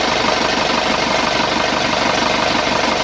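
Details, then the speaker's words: 2011 Isuzu Panther LS diesel after engine rebuild (scored pistons found during teardown for oil leak and rough noise): smooth even idle, earlier ticking noise gone; normal idle after repair. "Alhamdulillah suaranya adem ini. Oh iya hilang ya. Iya satu suara. Satu suara tek-teknya itu hilang."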